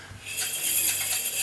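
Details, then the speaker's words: Washing machine turned by hand gives a thin, high-pitched metallic scrape from an underwire deliberately lodged between inner and outer drum, usually catching around the heating element; remove the object to stop the noise. "can hear a scraping noise rotate it the other way this is actually a velar wire which i've actually lodged in that so you can see how it lodges itself usually around the heating element"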